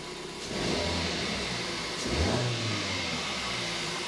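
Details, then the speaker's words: 2012 Kia Picanto 1.2 petrol after spark plug change: revs up cleanly and drops back to a steady idle with no stumble or popping, normal rev with no misfire. "all sounds good it's not misfiring"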